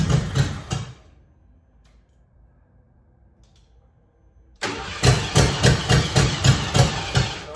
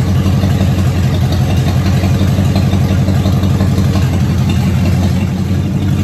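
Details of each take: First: Abe, unstarted for years: two bursts of steady starter cranking that never catch; crank no start from fuel starvation, a gallon and a half of gas too little for the pump to pick up and return. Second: Car first run since 2019 after new fuel pump, cleaned tank, new starter, revving: strong even low rumble, steady firing, no knocks or rattles; runs smoothly and healthy.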